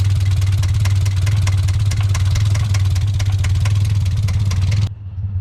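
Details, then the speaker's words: Mazda Miata with straight pipes, idling after valve cover and timing work: hard repeating knock about four a second over deep idle rumble; confirmed rod knock. "god it's got so much rod and it's so straight pipes oh my god oh my god it looks bad but that's a rod box for sure"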